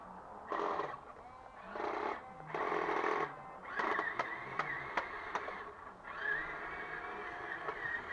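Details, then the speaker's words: RC HL Toys SW HL 3058 bulldozer power scraper (1:10 scale), fixed straight-through rear axle, running on grass: small motor whirs in strained bursts with sharp clicks as gearing skips and slips under load; owner suspects replacement rear gear slightly too small. "that gear is really struggling now in that"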